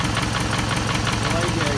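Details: 2006–2008 Toyota Camry 2.4 engine at idle: sharp, even ticking about six times a second. A replaced lifter did not cure it; the noise was traced to a leaking exhaust manifold, fixed by replacing the manifold/catalytic converter with a new gasket.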